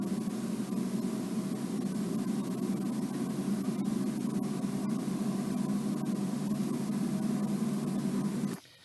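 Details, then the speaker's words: Ford Ka with worn front wheel bearing, NVH microphone in cabin at road speed: steady low wow-wow droning hum, then cuts off; bearing rumble not detectable unloaded on ramp; wheel bearing drone. "so hopefully you can hear that wound wow noise captured in the cabin by the mic"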